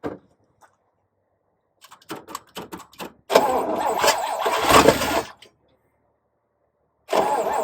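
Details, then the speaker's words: Oldsmobile Super 88 with new battery and new water pump, exhaust broken: several uneven starter groans over about 1.5 seconds, catches briefly, dies, then fires again; reluctant start, owner suspects battery not being charged. "notice it doesn't want to start. It's probably because its battery hasn't been charging."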